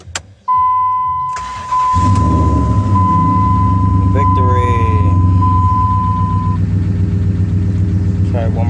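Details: 2002 Dodge Ram 1500 after replacing a suspected starter that had only single-clicked with no crank: door chime, then a short crank and the engine catches at once, settling into a steady, even idle; starter fixed.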